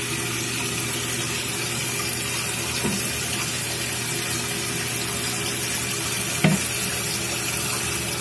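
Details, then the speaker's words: Toilet tank opened: steady hissing rush of water pouring into the bowl that never stops; running toilet, flush valve flapper not sealing. "Alright, so we'll see the flush full cock, still pouring water into the toilet, it's just not stopping."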